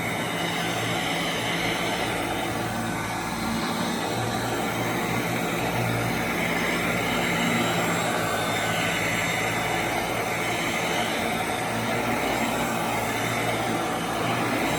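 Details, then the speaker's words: 1991 Royal Model 882T upright vacuum, just reassembled with motor brushes reinstalled after loose brush screws, probably long unserviced; running on the floor: smooth constant motor roar with low hum, strong suction, no rattles or scraping, normal. "Quite a bit of suction. It sounds completely different."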